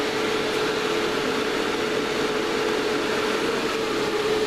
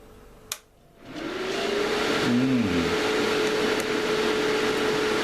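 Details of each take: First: Series-connected cooling fans, noise level being metered before remounting; steady even airflow hiss with faint constant hum, no rattles or beats: fans running smoothly. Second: Series-mounted cooling fans spin up to a loud, steady whooshing roar with a clear whine on top; far too noisy, and the mounting arrangement is to be changed to cut noise and increase airflow.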